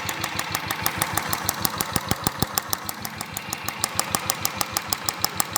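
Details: Royal Enfield at steady idle with sharp, regular ticks about three per second coming from the purge valve, not the cam wheel or hydraulic tappets; with the purge valve disconnected only the engine sound remains.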